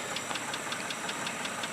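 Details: Mitsubishi 3000GT engine with a light, sharp, evenly spaced tick about five times a second at idle, starting within 60 miles of driving; owner fears rod knock and hopes for lifter tick, cause unconfirmed.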